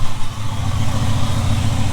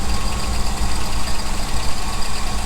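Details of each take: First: 1975 Ford F-350 ex-Seattle Fire Department truck, just revived after about 20 years sitting: after running at a higher idle and then dropping the idle down, it settles into a low, steady, even rumble with no misses or knocks. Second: 1975 Ford F-350, ex-Seattle Fire Department, just started after about 20 years unrun with the float bowl hand-filled, idles roughly with a light, quick ticking over the engine note; valvetrain noise suspected, not confirmed.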